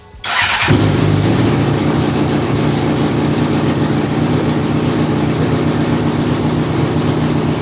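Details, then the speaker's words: 2004 Honda CBR600RR, custom catless full-system header with slip-on, first start after install (fitment imperfect): loud, raspy, chuffing idle with sharp puffing, sounds like a V8; big exhaust leak at the header. "There's definitely an exhaust leak though, I mean, you can fucking hear that shit. Yeah. Alright, so we're kind of at a predicament here. The thing sounds like a V8 because it's got such a big exhaust leak."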